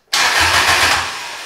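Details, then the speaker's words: BMW E30 with a Toyota Beams engine swap on an AK kit harness, ECU not yet fully connected: the starter spins the engine at an even, healthy cranking pace for about a second, then stops. Cranks fine but does not start. "yeah buddy it cranks let's go"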